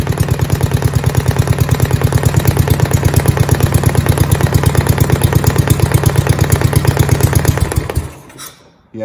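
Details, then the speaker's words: 1971 John Deere 110 garden tractor: steady low thumping, about 170 beats a minute, running evenly until shutdown; worn, loose crankshaft seal was the knock, noticed with an oil leak after a head gasket replacement, fixed by replacing crank seals. "yeah it feels wore out okay and it was making noise cool yeah that was our problem I was wondering what that noise was I always I kind of thought it was a knock"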